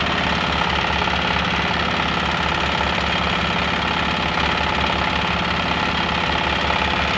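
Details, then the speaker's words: Single-cylinder diesel after manual injector nozzle adjustment, set outside then refitted, with the injection pump pressure steady: even thump about 3.5 times a second with clean mechanical clatter; the engine sounds light; normal running. "Nah, ini sudah ee kedengaran enteng ya, Guys, suara mesinnya."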